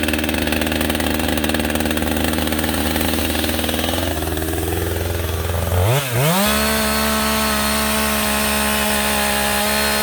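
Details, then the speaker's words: Husqvarna 562XP AutoTune chainsaw restarted warm, choke off, at high idle, with the air filter severely restricted by duct tape to test AutoTune compensation: pitch holds, then sags and lurches around six seconds before settling lower. "We're going to fire up this 562XP with our SpongeBob duct taped air filter on there."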